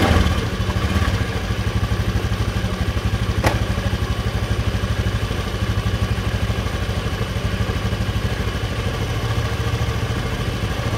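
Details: Honda Beat FI scooter after a no-ignition stall (suspected ignition switch, kiprok regulator or corroded wiring): it catches, then settles into a steady, even putter of about three beats a second with no stumbling; idling normally.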